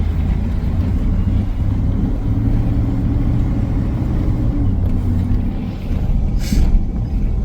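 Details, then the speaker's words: 2002 Chevy Silverado, lifted, test drive after replacing the wheel hub: steady low road rumble at cruising speed with no grinding, crunching or growl from the wheel. The previous noise is gone and the new hub runs quiet; an alignment problem remains. "sound good over there boy does it sound good sounds good to me"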